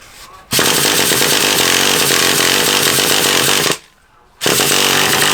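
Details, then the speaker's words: Traxxas Revo 3.3 nitro RC car engine, started with a wire-type starter: fires and screams at high revs, cuts out, catches briefly again; won't stay running, fresh nitro fuel planned. "why don't you want to go now oh it does run in time run too bad either does it didn't wanna stay running"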